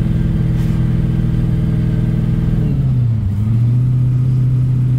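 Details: Test drive after fitting a 3.46 M80 Torque-locker differential, light acceleration: steady engine and drivetrain drone, pitch easing with a gear change, no whine or clunk from the rear axle; normal differential.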